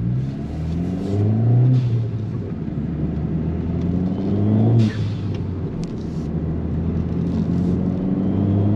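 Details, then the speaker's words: Ford Fiesta ST 180 with a new GFB vent-to-atmosphere blow-off valve with stronger spring: revs climb through the gears, each lift brings a short rushing vent, clean steady pulls; owner thought the original valve could not hold boost. "I'll be honest with you the actual boost noise sounds a lot louder than it did before and I actually thought my original uh valve was leaking and it wasn't it wasn't strong enough to hold boost"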